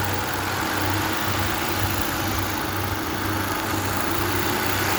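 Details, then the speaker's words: 2015 Kia Optima after repair of cylinder 2 misfire (faulty ignition coil replaced, worn spark plug changed), check engine light gone; with AC on, steady even idle and light throttle blip, no stumble or skipping — normal idle and rev. "है जी, ये सेट हो गया। ये इसका मसला था।"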